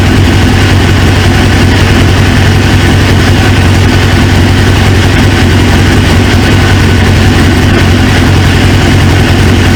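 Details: 1999 Suzuki GSX-R 750 four-cylinder, newly installed used engine, restarted after reseating a pinched fuel quick-connect O-ring: loud steady idle, low even throb, no misses; running smoothly, owner then suspects an injector O-ring leak.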